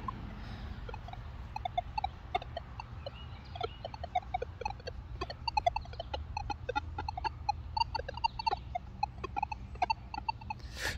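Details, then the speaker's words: Metal detector in a park near a train station with no target present: constant erratic single-tone chirping even at sensitivity 16–17, stopping only near 9; electromagnetic interference, possibly from train power lines, cause unconfirmed. "it's just chattery constant everywhere in the park is constant even if I go down to like 17 16 uh sensitivity it's just chattery"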